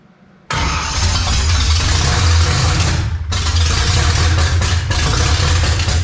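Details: 1955 Chevy small block V8, first start after sitting roughly 10-12 years: catches, stumbles and nearly dies, then picks up with an uneven, lumpy, misfiring beat; fires but runs rough, oil pressure present.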